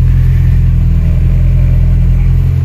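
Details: 1996 Nissan Pickup Hardbody with Z24 engine, first start after carburetor overhaul, A/C just switched off: steady, even low rumble with no misses, pops or stumbles as it revs; carburetor feeding cleanly, engine runs smoothly.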